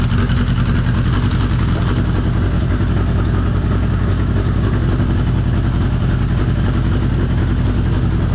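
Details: 1983 Honda CB750 first start after sitting at least 10 years: steady, firm low-pitched multi-cylinder burble, even and unbroken; normal idle.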